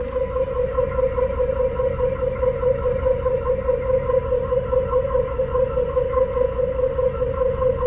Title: 1986 Chevy El Camino 4.3L Weird Noise From Tailpipe. What is it?